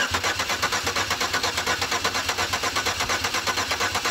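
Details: 2004 Chevy Impala won't start, though the fuel pump is heard running; owner doubts it pumps enough fuel. During a starting fluid test, the starter cranks steadily for about four seconds but the engine never catches: crank, no start.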